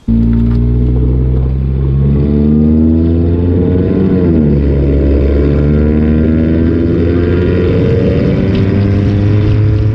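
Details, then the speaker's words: 1990 Honda Accord with muffler completely rotted off, revving: deep, loud blatting drone with raspy rattle swelling with revs, exhaust running open before muffler replacement. "As you can see, the muffler rotted off, like completely off, man. That's why it's making that sound."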